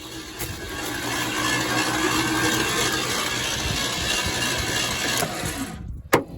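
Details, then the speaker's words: 1976 Ford F-150, believed 360 engine, about 97,000 miles, sat untouched since 2000, cranked with spark plugs removed and fuel line disconnected: starter spins it quickly and evenly with a steady whirr, no compression pulses; engine turns freely, not seized. "I mean, it spins over. That's really weird."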